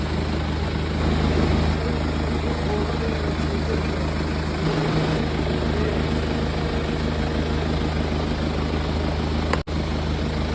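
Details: BMW Z4 at idle: uneven, loping running with a rhythmic chop and stumble; a cylinder misfiring from a failing ignition coil, fixed by coil replacement.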